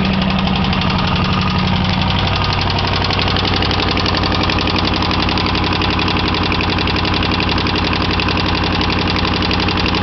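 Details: 1989 Chevy Camaro V8 idling with a hard metallic knock of nearly four beats a second over the engine note; deep internal knock, owner was told rod knock but cause unconfirmed, rebuild planned regardless.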